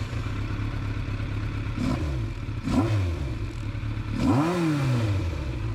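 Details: 1988 Yamaha FZR1000 hot start after carb rebuild, larger Dyna Jet needles, adjusted Mikuni pilots, 3D-printed velocity stacks, higher-flow fuel pump, methanol-free gas: catches immediately, even idle, clean throttle blips; previously ran poorly, now healthy.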